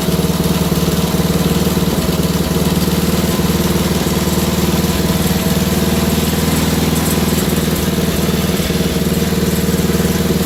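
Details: Wheel Horse GT2500 garden tractor single-cylinder engine just restarted: steady idle about four beats a second with slightly uneven, hunting pulses; owner suspects a stuck carburetor float, unconfirmed. Rough running.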